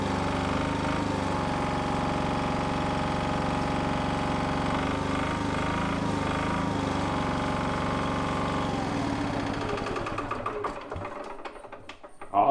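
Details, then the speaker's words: Onan MEP-016B 3 kW single-cylinder military diesel generator, first start after the fuel was primed: steady, even diesel chug with no knocks or misses, then it slows and stops. Normal running. "that is awesome I can't believe how easily that started it's just like it fired right up once we got fuel up there"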